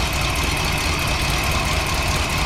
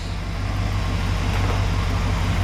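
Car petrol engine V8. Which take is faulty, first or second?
first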